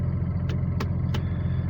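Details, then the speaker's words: Cummins diesel at idle after rebuild with new connecting-rod small-end bushings and pins: low steady even rumble, no rhythmic knocking, only a few stray clicks around the truck; knock gone, running healthy. "но никакого стука нету все замечательно"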